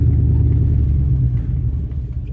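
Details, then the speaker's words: 2002 Dodge Durango SLT 4.7L V8 4x4, replacement motor about 108k miles, sat about a year, driving in yard: deep rumble sags as idle drops very low, close to stalling; sometimes dies, running rough. "and it wants to like get real low on the idle. Sometimes die."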